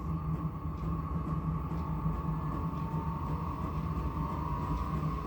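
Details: Vevor 8kW diesel heater, tank removed and fed from a 25-litre drum, day 4–5 of running, turned up to setting 7: steady mid-pitch hum over soft even burner rumble, no surging or rattles; running properly.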